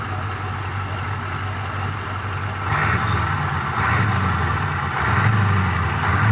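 Low diesel idle that lifts a little with throttle and carries a faint turbo hiss, with no knocks or rattles. Sounds healthy.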